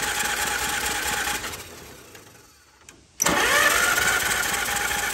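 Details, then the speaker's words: 1944 Allis Chalmers B tractor, warm after running about 15 minutes, cranked by a starter repaired earlier (broken drive gear pieces replaced) for a hot compression test; brisk, even whir without grinding or hesitation, healthy cranking. "so i left the tractor run for about 15 minutes it's nice and warm now and again this is just for my own curiosity i'm going to do a final compression test here while it's hot and then we'll move on"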